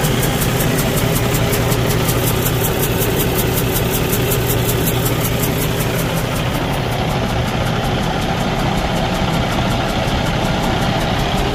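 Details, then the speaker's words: 2015 Cummins ISX15 diesel with a broken cylinder head, running: uneven, lumpy idle with a faint hiss; hissing from the exhaust or intake area and unstable firing indicate compression leaking through the cracked head. "Uh usually you want to hear uh hissing sound coming from the exhaust area or from the intake area and is firing engine is not running stable."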